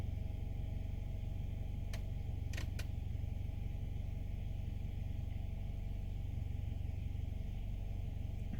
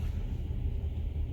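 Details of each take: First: 2015 Nissan Altima 2.5 idling in Drive after replacing faulty exhaust valve timing solenoid (codes P0014, P0300): low steady even hum, no shaking, no misfire, idle no longer rough. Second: 2015 Nissan Altima 2.5 with check engine light, codes P0300 multiple misfire and P0014 exhaust cam timing; rough, lumpy, missing idle, traced to a dead exhaust cam timing solenoid.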